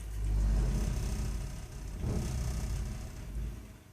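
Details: Burnham Alpine ALP150W gas-fired boiler, 3 years old, frequently rumbles when running: deep uneven rumble swelling and fading every second or two while firing; cause unknown.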